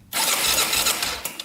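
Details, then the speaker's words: 2001 Honda 400EX quad that sat for at least a year and won't start, with suspected low compression: brief cranking with dry tinny clatter and ticking. Cam chain sounds loose and sloppy; a possible crank bearing is also feared. "you can hear like a ticking like the cam chains loose something's like really sloppy in there"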